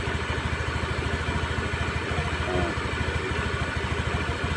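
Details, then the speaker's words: Honda Spacy scooter at idle after repair: steady, even single-cylinder idle with no rattle. The earlier rough knocking came from a worn cooling fan boss, now fixed. "nah ini motor sudah hidup ya Coba kasih dengar kasih lihat dan kasih dengar ya ini tidak ada suara kakakak tadi ya"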